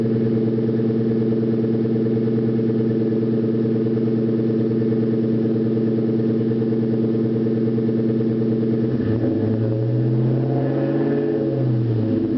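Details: 2001 Ford Mustang GT V8 at startup idles steadily, then revs up and back down, with a dull knock under the idle, slight at startup; likely a spun rod bearing, not confirmed.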